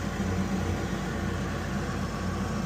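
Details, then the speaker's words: Weil-McLain HE boiler (integrated control 1013-200) firing: steady loud droning inducer fan hum with coarse buzz; technician says it sounds tired; vibrating on its mounts. Suspected, not confirmed. "I gotta be honest with you, this sounds a little tired. And this is the noise you're hearing."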